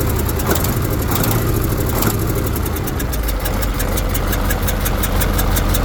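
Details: KAMAZ diesel truck at idle; rough rumble with steady fast tapping about three per second; engine knock.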